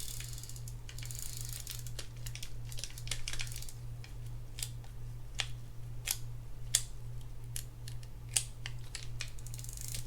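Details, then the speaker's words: Penn Jigmaster 500 fishing reel during service, handle turned by hand, switching free spool to engaged; crisp, uneven ratchet clicks, no grinding or rough spots: reel works properly. "There's your free spool. There's engaged. You can hear it. Everything seems proper right there."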